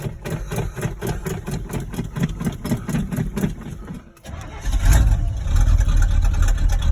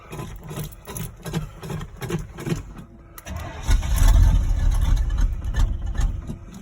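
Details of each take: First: 1986 Chevy K10 V8, cold start in icy weather after repeated pedal pumping: brief cranking, then catches and settles into an even, raised fast idle with a steady low rumble, higher than its usual starting idle, no misses. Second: 1986 Chevy K10 squarebody V8, cold start on an icy snowy day with choke cable unhooked, pumping the throttle: slow uneven cranking chuffs for three seconds, then stumbling roar that sags; hard cold start without choke.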